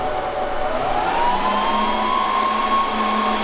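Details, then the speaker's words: Server with a strong magnet slid to about 6 cm from it: the fan whine drops, then climbs sharply and holds high as the fans race, with a burning smell and fan errors caused by the magnetic field. "The server sounded really angry and smelled furiously hot."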